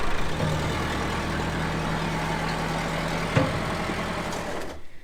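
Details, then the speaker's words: Massey Ferguson 50HX backhoe loader, 4-cylinder Perkins diesel: steady, even low idle rumble with no knocks or misses; engine idling smoothly. "Well, this old girl is just sitting here idling away."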